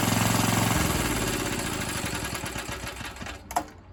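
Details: Old Atco Suffolk mower single-cylinder engine, with the clutch working after the wear plate adjustment. Steady thumping at about 220 beats a minute that eases slightly before a clunk; running normally.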